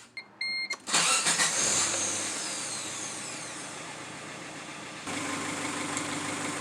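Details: Suzuki/Chevrolet Tracker after alternator replacement, battery reading 12 volts: chimes, brief starter crank, engine fires and settles into a smooth steady idle with no knocks; charging 14 volts, starts and runs fine.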